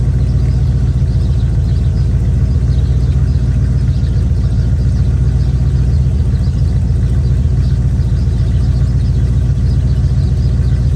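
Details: Chevy square-body barn-find truck, automatic V8 (called a 350), after timing set by ear and a distributor, carburetor and ignition tune-up: steady, deep, even idle rumble holding constant for over ten seconds with no misses or knocks; motor running decent.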